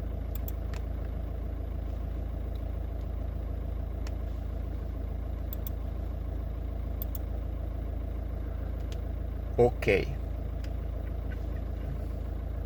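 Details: VW 1.9 TDI after fixing a no-start caused by a faulty crankshaft (G28 engine speed sensor) wire: steady, even low diesel clatter with no misses or hunting; clean, healthy idle.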